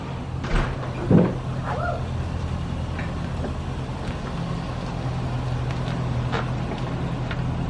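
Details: C6 Corvette with swapped-in LS2 V8 after first start, exhaust reinstalled: low, even, quiet burble at steady idle with no knocks or ticks; normal idle.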